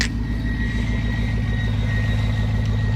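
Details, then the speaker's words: 2004 Silverado 1500 V8, first cold start after sitting about six months, with a 10-degree night; about 800 rpm idle per the Bully Dog: a deep, even idle with a steady low beat and no knocks or ticks, a healthy cold start. "that sounds so good right now you got to realize I haven't heard this sound in like six months so I'm super pumped"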